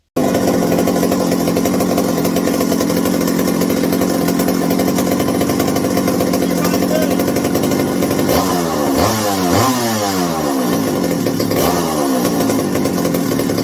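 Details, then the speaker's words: McCulloch 790 (MC101) chainsaw after fitting a new 090 carburetor, throttle linkage binding: idles steadily, revs climb and fall in sluggish sweeps; high-speed circuit activates late in the running cycle. "The high speed on this one is not what I would call the greatest. It really activates late in the running cycle."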